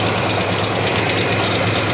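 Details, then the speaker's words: 1987 Chevrolet S10, fresh conventional oil and new oil filter, after running with antifreeze in the oil: light, fast, regular top-end tick over a steady idle, seeming slightly better; engine runs strong, cause unknown. "And you can probably hear the ticking. It sounds like it's getting a little better, but I don't know."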